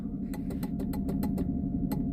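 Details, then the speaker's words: Daimler rear passenger power window, which would not open, when switched up: string of sharp dry clicks about six a second with pauses over a steady engine hum; motor not moving the window. "you can hear clicking. So, something's starting to work there."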